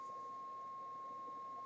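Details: 1968 Ford Mustang Philco AM/FM radio D3AA on the bench, fed a steady signal-generator test tone over many minutes; clean steady tone near 1 kHz holding constant level, no dropouts; no fading.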